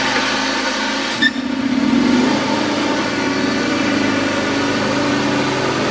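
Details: John Deere X540 mower, came in cranking with no spark and unused about a year; both coils dead, failed module replaced; catches at about one second then holds steady even buzz, no misfires or surging; normal running after repair.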